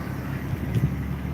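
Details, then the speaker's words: Rare 6-cylinder BMW E36, running again after a no-start suspected to be running out of fuel: steady low rumble, even exhaust note, a little wind over the mic; the six sounds healthy. "You can hear the engine. See, once she's running, she just sounds good."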